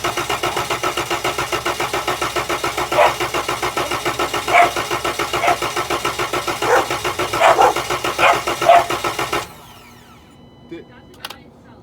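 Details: 2013 Town and Country van cranked with the gas pedal held to the floor. Steady, even cranking for nine seconds but it never catches. The fuel pump gets no power from a faulty TIPM fuel pump relay, currently bypassed with a jumper.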